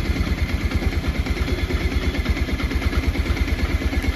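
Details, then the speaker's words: Bajaj Pulsar 125 BS6 after the P2109 throttle position sensor fault was cleared and the TPS was checked with live data. It now idles steadily at about 1100 rpm, higher than before, with an even beat, no misses, no stalling and no fault codes: a normal idle. "ठीक से 1100 की RPM में ए चुकी है अब पहले से RPM यानी की बाढ़ गया यह बाइक बन भी नहीं होगी और इसमें कोई कॉल्ड भी नहीं रहा कोई इशू नहीं रहा"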